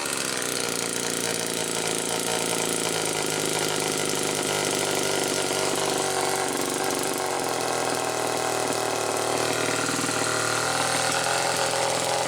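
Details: 1974 Homelite XL-2 chainsaw, probably a second-year model, test run after air leak repair and air filter cover refit: loud, steady high-pitched two-stroke buzz held evenly without stumbling or surging; running cleanly, though idle not quite as owner would like.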